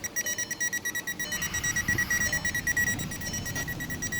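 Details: 2012 VW Jetta that came in as a no-start; the converter box was replaced and it now starts, but no module communicates and the odometer lights flash. The warning beep repeats about three times a second without stopping. The owner suspects a bad bus line; cause unconfirmed.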